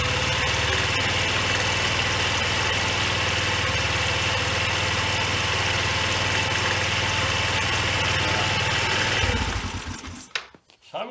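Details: 1993 Yamaha Riva 125 (Beluga) scooter after oil change, filter clean and B12 additive: small single idles steadily and evenly with no knocks, then is switched off and runs down; healthy idle.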